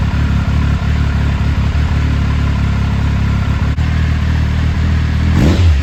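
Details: 2000 Triumph Sprint ST 955 triple, first start in 24 years after being wrecked new and stored in a barn, with a cleaned fuel pump and new fuel hoses: steady idle, then a quick rev that climbs and settles cleanly, no knocks or rattles; running fine.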